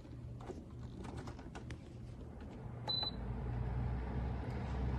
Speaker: Uh this is the low end. This is the low speed, right? Let me do the low speed of this tornado.